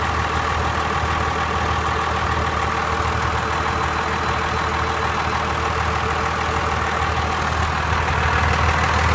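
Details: Cummins diesel engine at steady idle: a light, uneven tick that comes and goes every few seconds; source unknown.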